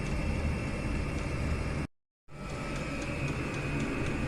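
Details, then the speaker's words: Chinese diesel air heater on setting two, warming up, exhaust heating a radiator heat exchanger: rapid even fuel pump ticking over steady combustion roar; normal warm-up, pump slows once at setting. "so that's that's pretty hot now there you can hear that pulsing away quite quickly um in a couple of minutes that that stabilizes that that goes slower than that once it's um got to its seat setting"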